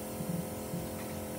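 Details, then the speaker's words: MK3 Supra 7M-GTE after fuel cell install, engine off: new in-tank fuel pump priming with a quiet, steady hum, much quieter than the old pump in the clogged tank, no strain; normal priming. "okay as you canar here the fuel pump's running way more quieter than that wall brr that I had clogged in my old tank this exactly what we want"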